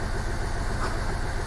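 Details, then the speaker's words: Hyundai i20 1.1 CRDi diesel (about 70 hp) after rebuild of a seized knocking engine, fuel system bled and warmed up, injectors nearly adapted: a steady, even idle with no knocking or misses. Normal idle. "wtryski Już się prawie zaadoptowały jeszcze nie do końca ale to też dzisiaj pojazd już sobie ładnie pracuje"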